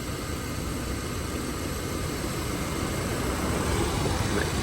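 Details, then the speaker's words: Subaru AC compressor, engine running, after recovery, evacuation and recharge with fresh refrigerant to about 200 g: steady even hum, no knocking or rattle; much quieter than the noise heard earlier when low at 200 g. "and you hear how quiet the compressor is right now"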